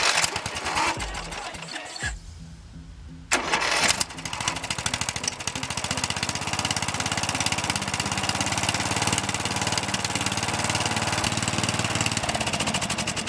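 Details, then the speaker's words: Old Murray 18hp riding mower, Briggs & Stratton engine, after carburetor replacement and fresh oil, engine cover off: cranks, stalls, then catches into a choppy uneven idle; owner thinks it needs a new spark plug; rough running. "looks like we got a do have a muffler sounds like it needs a new spark plug"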